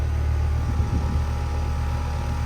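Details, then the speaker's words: 2007 Bryant Base Series 2-ton R22 air conditioner, Copeland scroll compressor: smooth, steady low hum, no knocking, rattle or squeal; cold and sweaty, liquid line subcooling; normal compressor operation. "A really nice scroll sound of a 2007 Bryant base series. The R22 one."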